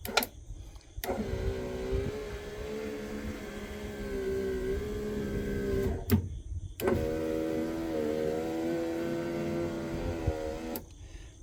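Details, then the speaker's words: 1997 Jeep Cherokee XJ at about 300,000 miles, new driver-side power window motor, regulator and switch, door panel still off: two steady motor whines of a few seconds, stopping crisply, slightly loud but smooth; normal window operation. "we're going to claim success it seems a little loud but get that door panel back on it'll probably be fine"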